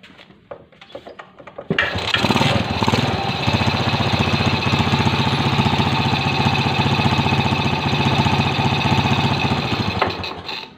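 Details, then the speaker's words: Suzuki motorcycle carburetor before idle adjustment: engine catches and idles with a rough, uneven beat that wanders, neither surging nor sputtering but unstable; carburetor idle setting is off, adjusted with a screwdriver. "lamsamnya sama sekali tidak mulus dia kayak dibilang tersengat tidak dibilang Brebek tidak tapi agak tidak stabil"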